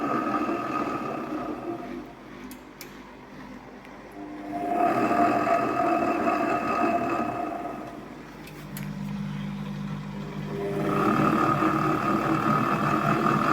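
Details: AEG Öko Lavamat 4100 washing machine spin test stepping through 800, 900 and 1000 rpm: drum rumble swells and falls in waves, then builds into a loud steady jet-like roar toward full spin; worn drum bearings.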